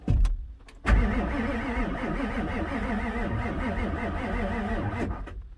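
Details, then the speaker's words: 1994 Ford Super Duty F-350/450 7.3 diesel, pre-OBD2, dead batteries on a booster, propane fed into the intake: even cranking that never fires. Glow plugs not heard cycling; glow plug control circuit code set. "well I'm trying to start it with propane in the air induction system and it's not firing"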